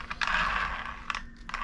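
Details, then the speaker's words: Arrma Infraction Mega RC car with brushless conversion, drivetrain spun by hand: light gear whir with soft ratchety clicks, rolls freely; front slightly tighter than rear. "so I mean this rolls pretty good I said if you uh pick it up and even spin the differential rolls pretty good"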